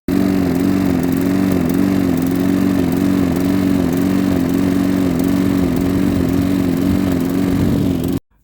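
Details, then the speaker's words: Briggs & Stratton 500e series lawnmower engine (Cobra M46SPB) that kept dying after five seconds, before carb replacement. Pitch rises and falls about twice a second in a steady hunting surge with faint splutter; carb suspected dirty. "it's a bit of a split a bit of a surge type thing uh so this is what it sounds like"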